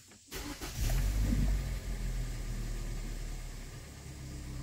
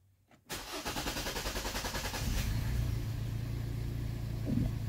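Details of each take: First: 2013 Hyundai Elantra GT hatchback, 2.0 L, tachometer intermittently not working and weak revving at light throttle; after repair and clearing codes, quick crank catches within a second into a smooth, even idle; healthy start. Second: 2013 Hyundai with a crankshaft sensor fault (half the sensor not reading), also showing tachometer dropouts, limited throttle and a check engine light. Petrol engine starts with an uneven, stumbling skip for a couple of seconds, then settles into idle. Misfire on startup.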